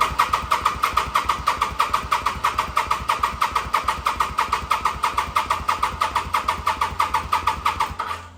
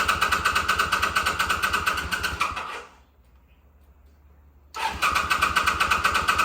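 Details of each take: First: 2005 Kawasaki VN800 at about 130,000 km, first start in nearly 10 years out of storage, old petrol, oil unchecked, on a charged battery; steady starter churning about three beats a second for eight seconds, never catching; cranks, no start, cause unconfirmed. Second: 2005 Kawasaki VN800C, about 130,000 km, first start after roughly 10 years stored, battery recharged and fresh petrol added: catches and runs with a steady, even beat, cuts out briefly, fires straight back up and settles; healthy running.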